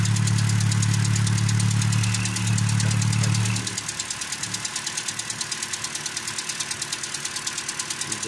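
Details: 2013 Toyota Corolla 2.0 XLI, 3GR gasoline engine at idle, owner says noise fades when warm: sharp even tapping about three per second, top-end in character, mechanic suspected connecting rod bearing.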